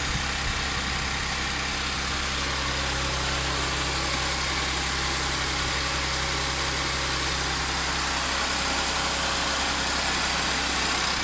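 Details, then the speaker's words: Audi S4 3.0 supercharged V6 after driveway repair of jumped bank 2 timing chain (P0016/P0018): steady, even idle, smooth low hum, no knocks, ticks or rattles, WD40 burning off manifold bolts, no leaks or fault codes; normal idle. "no leaks anywhere burning off a bit of WD40 that I put on the uh bolts on the manifold there sounds pretty good so far I'm happy"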